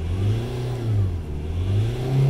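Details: Nissan X-Trail 4x4 diesel held just above idle, around 1500 rpm; owner says it dies otherwise for about a mile before recovering to 900 rpm idle, suspects suction control valve. Steady, even drone, no knocks or misses: running normally.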